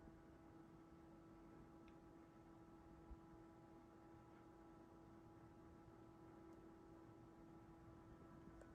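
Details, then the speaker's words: Asus ROG Strix GT35 desktop (i7-11700KF, RTX 3080, AI overclocking) under load in a cold winter room: GPU fans ramped up but case fans not yet, a quiet, steady hum with a soft airy hiss and no rattles. Normal fan noise. "So you can hear the computer right now. It's not too bad, and you'll notice that some of the fans haven't ramped up yet. The fans on the video card have started, but the case fans haven't."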